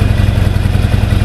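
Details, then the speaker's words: Harley-Davidson XL883C Sportster on stock exhaust pipes, idling in neutral just after start on a warm day: deep, lumpy potato-potato thump, even and strong with no clatter; healthy normal idle. "The sound this bike makes, absolutely awesome. And this bike has just got the stock pipes on. They're absolutely amazing."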